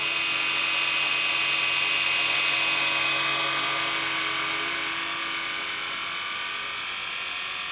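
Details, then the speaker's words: RC scale SA315B helicopter (Ken Luo kit, Blade 230S chassis, Microheli 3-blade head, Turnigy 2627 3800kv motor) on its fifth flight. The lipped leading edge of the carbon fiber blades gives a high, steady whizzing whine: normal blade noise. "i don't know whether you can hear that it's got this sort of wizard's wiz noise in the road ahead and it's definitely the blaze that do that"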